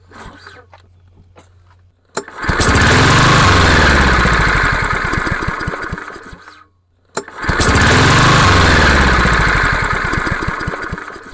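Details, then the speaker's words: Craftsman (MTD) lawnmower, PowerMore 140cc engine: fires and runs a few seconds, then sags and dies, twice in a row; starts then dies from a carburetor fault. "So, yeah, as you can see, definitely has a carburetor problem."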